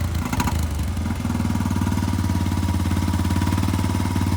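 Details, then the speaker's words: Honda Foreman 350 4x4 ATV after muffler rebuild, idling: fast, even single-cylinder thumping idle with no misses, ticks or exhaust rasp; normal idle, owner happy with it. "idle so overall i'm pretty happy with it"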